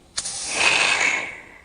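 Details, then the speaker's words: Porsche 911 Turbo 997.2 boost leak test, intake pressurized: a rush of hissing air swells then fades as the blow-off valve holds low pressure but opens under more, bleeding boost; valve then inspected. "it's holding pressure now right the little pressure is able to hold some pressure but when i add up more pressure to it it's opening it shouldn't do that"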